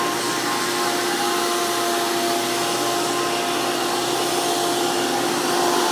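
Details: Hoover PowerMax II U5246-940 upright vacuum (2002), direct-air design with 12 amp motor, high RPM and 20-blade fan impeller, after motor work: even, loud motor roar with steady high whine, no surging or rattles. Normal running.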